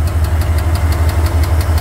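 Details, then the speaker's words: Car engine with ticking that worsened over days after hard acceleration: sharp regular knock about six per second at idle; owner suspects a stuck lifter or loose rod, unconfirmed. "yesterday on the light it did make like a little big you know knocking"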